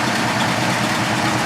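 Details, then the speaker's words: 1979 Chevrolet Caprice Aerocoupe V8 after freeze plug repair with intake reinstalled: loud, even idle with a steady beat and no misses or stumbles; running a lot better, no leaks so far. "all right so she's running a lot better"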